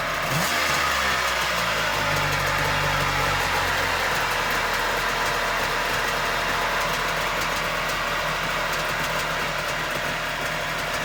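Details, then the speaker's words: 2002 Kawasaki STS 900 jet ski two-stroke, sitting since about 2016, briefly run without cooling water hooked up: raspy catch and brief blip, then a steady buzzing run; starts and runs fine, though the exhaust is reported to run hotter than it should. "i don't want to run it too long without the water hooked up basically i just want to make sure she'd crank up and she obviously does"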